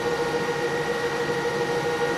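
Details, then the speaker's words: EcoFlow Delta Pro running a 1 hp irrigation pump at about 1780–1850 W as pressure builds: steady high fan whir, constant tone, no wobble or rattle; cooling fan working hard but normal. "usual is around 1850 to 1780 once everything gets running and you can hear that Delta Pro working pretty hard"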